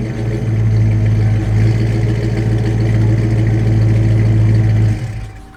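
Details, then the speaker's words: 1995 Mustang Cobra V8 with BBK shorty headers, off-road pipe and Flowmaster American Thunder catback: deep even rumble swells with a couple of blips and settles cleanly; strong, healthy engine with a rowdy exhaust. "I get a little rowdy. It's not that rowdy, but it sounds good."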